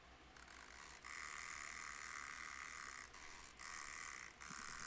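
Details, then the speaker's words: Junk-shop mechanical alarm clock being serviced for the first time. A rapid, even bell buzz keeps ringing with brief dropouts while the alarm runs on and drains power. Owner suspects it was left in alarm mode without rewinding. "oh I get what's happening now this guy was alarmed and not this alarm did not uh charged up in time see it's still charging it's still alarming"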